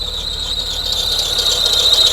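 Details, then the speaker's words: Mercedes W201 190E 2.5-16V manual, test run after fuel system repair on an external fuel tank after years sitting: piercing high squeal steady over the engine, rising slightly with revs; worn, slipping drive belt. "His belt is worn"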